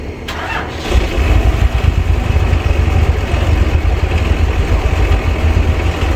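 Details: 1990 Bluebird bus with turbo Cummins diesel, after bleeding the fuel system and charging the battery: short crank catches within a second, then a deep, steady, even idle; throttle still not working properly; normal start and idle.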